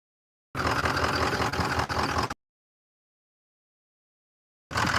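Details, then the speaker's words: Massey Ferguson diesel tractor, unused almost a year, weak battery (trickle-charged to about 12.5 V): slow uneven cranking, won't fire, stubborn hard start. "So, it is going to start. It's just being a little stubborn."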